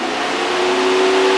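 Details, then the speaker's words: Mercedes 300D radiator electric auxiliary fan after replacement with a used good fan: steady, even whir with a faint hum and no rattle or flutter, much quieter than the bad original. "you can tell the fan quite a bit quieter. That's more like what what one should sound like."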